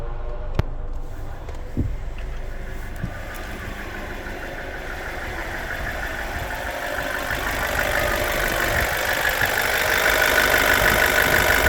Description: Bmw n45b16a 30sec. activated exhaust vanos side rattling noise